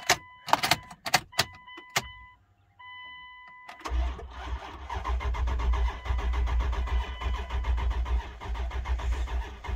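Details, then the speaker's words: 1999 Dodge Durango SLT, 5.9L Magnum V8, sat 14 years since 2009, first key turn: warning chimes, then sluggish labored cranking about two beats a second that doesn't catch; slow cranking from weak battery. "a little low on battery foreign just a little bit"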